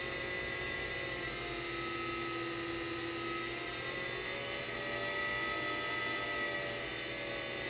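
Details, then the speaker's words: 3D-printed axial-flux BLDC motor on an Arduino controller, first run: steady high whine with several fixed tones over light motor hum, noisy at startup, burning smell noticed after; speed controller switching noise. "you can hear the speed controller speed control is working good"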